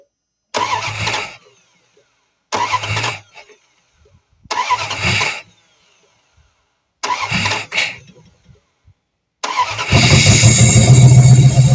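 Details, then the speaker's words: Junked Dodge Dakota parts truck, long-sitting, fuel pump just restored pressure, coolant system empty: four short cranks and failed catches, then fires into uneven, lumpy, hunting idle; runs erratically. "She runs kind of erratic, but she runs."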